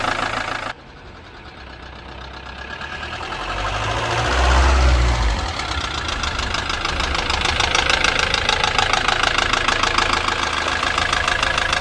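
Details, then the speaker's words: Ford Transit Mk7 diesel idling after oil was topped up from very low: light regular tapping from the top end about three a second, knocking much reduced but still present; top-end tapping at idle. "She's knocking off as not half as bad as what she was. Surprised what a bit of oil does. There you go. I can actually hear myself speak now. Definitely all on the top."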